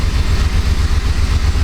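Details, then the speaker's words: 2006–2007 Jeep Grand Cherokee 4.7 V8 idling in gear, engine light flashing, engine shaking: deep, lumpy idle with a regular stumble in the exhaust beat; single-cylinder misfire, code P0304 cylinder 4, not coils, plugs or injector. "But it definitely feels like a misfire. Hear it in the exhaust too, so let's just take and shut it off here."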